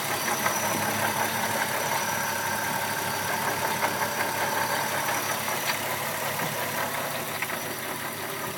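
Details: VW MK4 12-valve VR6: steady idle with a light, somewhat uneven knock about two to three times a second; knocking at idle, source not pinned down.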